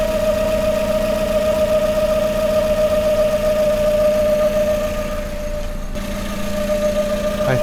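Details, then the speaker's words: Hyundai engine on first start after major work, idling unassisted under 1,000 rpm: a steady high whine at constant pitch; owner suspects the timing belt tensioner bearing is too tight or failing, then doubts it as the noise fades. "my bearing for my belt might be too tight or just going right now."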